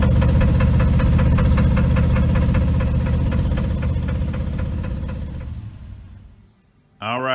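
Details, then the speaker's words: 1983 Chevrolet C10 Silverado, SBC 350 V8: steady idle with a quick, even top-end tick; owner suspects a burnt valve, bent pushrod or misplaced rocker. "i think it's something in the top end i've got a burnt valve where i've got a uh a bent push rod or a rocker arm that's not in the right spot or something"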